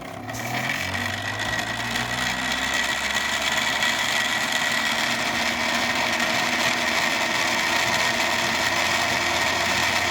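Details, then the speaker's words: Homemade 3D-printed maglev rotor running dry before its dry-lube fix, spinning up with a rising hum then a thin steady high whine and faint rattle; dry lube later made it hum, and pulling the coil back raised its speed to 7000 RPM. "so the lube took away that that whining sound that I had"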